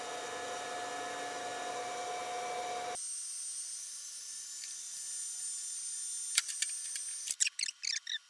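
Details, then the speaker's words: Harvest Maid food dehydrator retrofitted with a hair dryer heater wired into the original circuitry, first test: a steady airy whir with a faint tone for three seconds, then a clean cut-out; normal heater running. "I'll make sure it doesn't start blowing sparks or something. That's a good sign."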